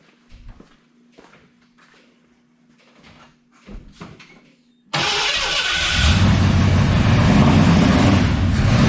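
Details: 1986 Ford F250 351 Windsor, first run after closing the pickup coil gap: fires into an uneven loping run with a breathy hiss; owner suspects it is loaded up with fuel (oil smells of gas) and has serious vacuum leaks.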